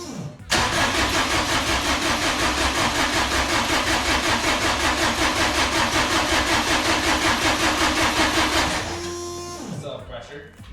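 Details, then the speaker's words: Low-mileage 600 hp drag-racing Subaru WRX that sat about 15 years, fuel pump priming with pressure; fast even starter cranking about eight seconds with no firing, cranks but won't start. "you're getting pressure as you're cranking it. So, I couldn't get this thing started last night."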